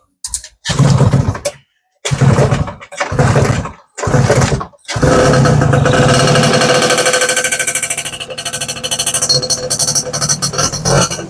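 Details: 1994 Yamaha Y110SS two-stroke motorcycle during restoration: several bursts of kick-starting, then it catches and runs with a raspy, slightly uneven buzz, not yet tuned; starting and running normally.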